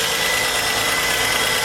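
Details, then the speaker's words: VS Holden Commodore first start after head gasket job, no coolant in yet: fast, busy ticking clatter over a steady idle; suspected dry valvetrain tapping expected to quieten as oil circulates, not confirmed. "well hopefully that noise will quieten [Music] down i think it will"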